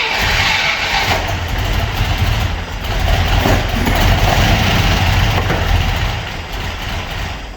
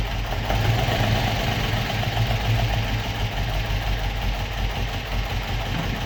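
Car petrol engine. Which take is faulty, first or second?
first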